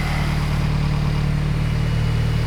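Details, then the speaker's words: Turbo Toyota GR86, just fitted with 1050cc injectors and a DeatschWerks 300c fuel pump, first run after the install: smooth, even idle with loud injector ticking and a loud pump on top, no fuel leaks, running healthy. "She's loud and proud. Sounds healthy. So as I said before I got interrupted, it's running, it's healthy."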